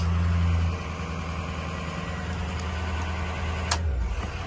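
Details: Ford 6.0 Powerstroke diesel truck, e-brake on, high idle engaged via factory upfitter AUX 4 switch wiring mod: steady deep drone that changes briefly then runs even and smooth at raised idle; normal.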